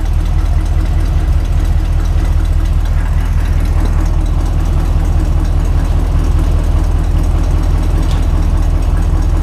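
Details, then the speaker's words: Grain truck after repairs, with exhaust leaks fixed and dual exhaust: deep, steady idle with an even low beat and a slight bark; it is much quieter, with no ticking or leaks. "Yeah, she got a little bit of a bark to her. I bet it sounds good loaded."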